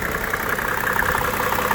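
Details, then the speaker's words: 1995 Mercedes-Benz E300 diesel (W124), inline six (owner believes OM606), idling with hood open: even, steady clatter with regular beat, no rattle or timing chain slap; timing chain tight; healthy idle. "just listen to that no rattle no timing chain slap the timing chain is directly underneath here"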